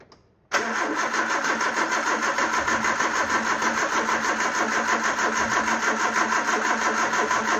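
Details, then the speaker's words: Peugeot 309 petrol with camshaft-driven mechanical fuel pump, new fuel filter, flushed lines: starter churns with even compression beats about three a second, never catching or firing; cranks but no start, fuel not reaching carb. "Doesn't sound like it is, so we'll try a little squirt of carb cleaner and see where that gets us. Anything in there? No, nothing whatsoever."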